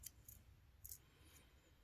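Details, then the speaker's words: Refrigerator not cooling, clicking every minute, and the compressor not humming. The removed two-pin compressor start relay is shaken: faint sharp clicks, about five in two seconds, as broken pieces rattle inside, showing the relay has failed. "you can tell one thing that it bad is when you shake it and it sounds like there's rocks or something inside broken this is when a relay has failed"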